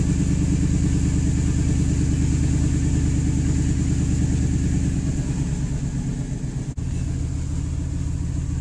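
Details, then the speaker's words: 1998 Ford F-150 5.4L Triton V8 idling with a steady, even low rumble, no stumble or misfire, after fixing a vacuum leak that caused rough idle and stalling at stops; normal idle after repair. "pretty good and it sounds great"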